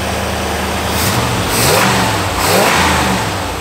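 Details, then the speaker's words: 1985 Pontiac Firebird Trans Am, crate Jegs 350 carbureted V8, after timing fix and carb tuning: crisp blips rise and fall cleanly over a steady idle, no misses or popping; no more black smoke, healthy. "awesome already though there's no more blacks oh that was the trail from the last video and there's absolutely nothing now it is running"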